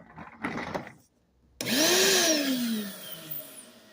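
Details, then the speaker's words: 5-gallon Shop-Vac with hose on: handling noise, pause, then motor spins up with rising whine that sags and wavers unevenly; motor sounds and smells off, pet hair stuck to it, owner has no clue of cause. "The motor sounds kind of weird, but the thing why is the motor's pretty up. The motor is kind of little funky. I have no clue, but there's something wrong with the motor."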